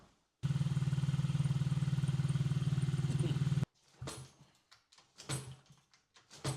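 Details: Honda XR50 after head gasket fix, having previously run super lean from an air leak: quick even low putter from the small single for about three seconds, then shut off, followed by handling clatter; a normal short idle.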